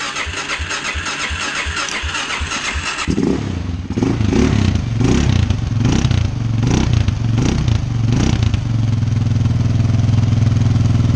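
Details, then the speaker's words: Suzuki LTZ 400 ATV after carburetor tune-up with new jet kit and repaired throttle position sensor, in the shop unloaded: catches, quick throttle blips, then a steady even idle, sounding much better than before. "it sounds a lot better than what it did before"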